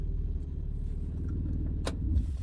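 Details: 2012 Kia Rondo after starting with the original transponder held near the ignition switch: low, even rumble with steady firing and no misses or knocks; normal idle.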